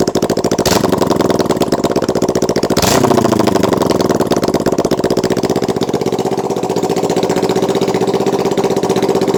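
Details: Kawasaki Ninja 650 twin: throttle blips, then a lumpy, uneven idle as if one cylinder drops out; it misfires and runs on one cylinder when letting off the throttle, and sometimes randomly fires on only one cylinder.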